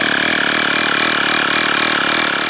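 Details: Tyre inflator compressor filling a camper van's fourth tyre: fast, even buzzing pulse with steady high hum and no misses or rattles; running smoothly.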